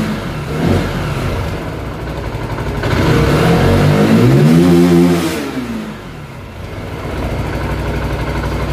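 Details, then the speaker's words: Zontes 125 single after flashing the Bosch MSE 6.0 ECU, started cooled then warming: revs smoothly to a high even note and drops back cleanly without misses or hesitation; reaches 10,500 rpm, healthy. "I leci do 10,5 tysiąca obrotów. Także jest dobrze."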